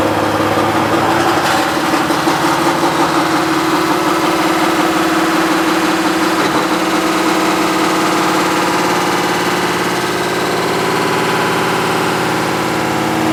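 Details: Washing machine during spin, after new shock absorbers failed to cure it: loud, rough diesel-like rumble with heavy constant vibration that shook the machine; cause was a broken drum bearing, not the shock absorbers.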